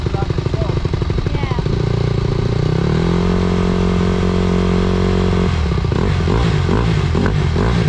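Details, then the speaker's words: 2020 Honda CRF150R big-wheel four-stroke dirt bike, ridden little and left sitting, test run after adjustments with a clean air filter: revs unevenly and hunts at low speed before clearing; low-end stumble, owners suspect it still needs a carb clean. "Probably still needs a carb clean. Celebrated too early."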